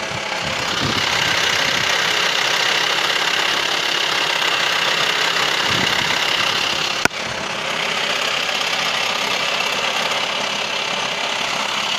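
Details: VW T5 2.5 AXD diesel idling with a busy, uneven rattling clatter at about three to four raps a second, loudest when turning the steering wheel; source not yet pinned down.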